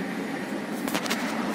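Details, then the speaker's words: Mitsubishi Carisma 1.3 with Melco ECU MR578503 E6T36671, which intermittently cranked without starting from immobilizer failure: after ECU unlock with the immobilizer disabled, a steady, even engine hum and low drone with no knocks or misses. It starts and idles normally. "Έτοιμο το Mitsubishi με ξεκλειδωμένο εγκέφαλο και παίρνει μπρος."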